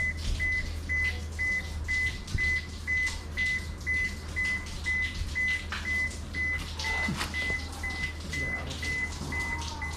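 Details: Toshiba washer that won't wash or spin while the drain keeps running nonstop: high, steady beeps twice a second over a low hum, the error alarm with a blinking light; drain motor or control board suspected, not confirmed.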